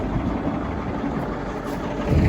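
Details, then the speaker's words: 52-year-old Massey Ferguson 1800 diesel idling after a day of chisel plowing hard, dry ground: low, even chug with a smooth, regular beat and no knocks or rattles; everything on the tractor working perfectly. "this old tractor sure didn't disappoint today at all listen to that baby just Pur doesn't that sound nice"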